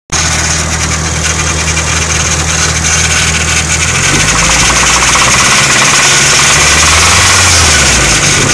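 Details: Nissan SR20 petrol engine idling: hard, regular knock about four per second, loud and sharp above the running note; suspected rod knock, not confirmed.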